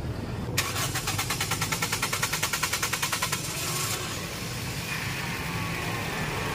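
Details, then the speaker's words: Toyota Vios after spark plug replacement cured its misfire, still hard starting: about three seconds of long, delayed starter cranking before it catches and idles. The fuel pump is suspected of not holding fuel pressure. "Ang problema na lang ay hard starting pa rin siya. Observe natin dito. Napalitan na natin to ng spark plug at nawala na rin yung palyado. Kita natin na delay pa rin yung andar niya. Medyo mahaba pa yung cranking."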